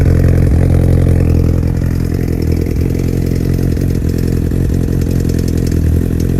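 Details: 2002 Yamaha R1 sport bike idling with a light, fairly regular ticking over the engine, coming from the EXUP exhaust valve.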